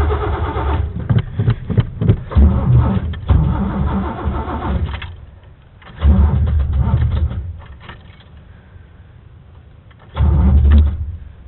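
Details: Chevy truck that won't start: three separate bursts of steady starter cranking with pauses between, engine never catches or runs; crank, no start.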